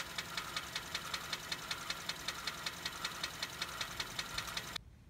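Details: Vehicle engine at idle before treatment with Lucas oil stabilizer, engine oil stop leak and oil/filter change: sharp even light ticks about 2.6 per second over quiet idle; noisy valve lifters.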